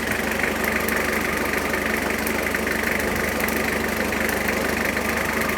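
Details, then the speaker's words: 1991 JDM Toyota Cresta that sat about 10 years in a shipping container, restarted after mechanical work and running a smooth, even idle with no knocks or misses, as it ran before. Normal idle. "Seems to be running how it was before. How pleasing is that?"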